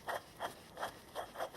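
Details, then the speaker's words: Motorcycle rear sprocket carrier, turned by hand, makes a gritty, rasping rub about every third of a second from rough bearings due for replacement. "hear the bearings don't sound too good"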